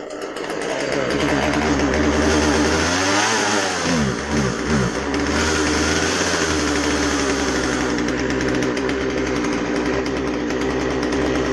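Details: Husqvarna 136 chainsaw after a carb rebuild for a rotten fuel line and dirt, with the low-speed jet set on the rich side: starts, revs, bogs briefly in the cut, then settles to a clean, steady buzz; healthy running.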